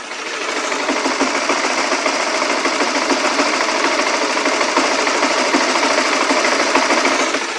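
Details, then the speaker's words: Honda motorcycle single-cylinder engine, recorded with an external Sony microphone: steady, even idle with a light, quick ticking patter; the earlier clatter is gone, normal. "Ada suara deg-deg-deg itu normal. Yuk coba kita gas. Oke, suaranya normal."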